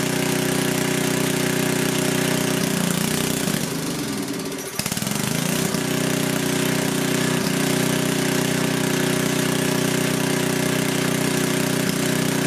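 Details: Coleman Powermate 6250 generator, 10 hp Tecumseh engine, after carburetor cleaning, started on full choke: brief stumble, then steady, even small-engine drone at constant speed, no knocks or misses; runs healthy.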